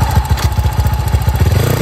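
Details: Big-bore (BRT) CRF motorcycle at idle: crisp, regular idle thumps at about nine or ten per second with no rattle or grinding from the clutch side; sounds healthy.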